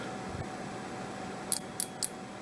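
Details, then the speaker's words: Seeburg jukebox mute trip relay, bench-tested with a DC power supply at limited current across the coil terminals: three crisp clicks about a quarter second apart in a quiet room; the relay coil pulls in cleanly, so the relay works. "There you go. So it's working."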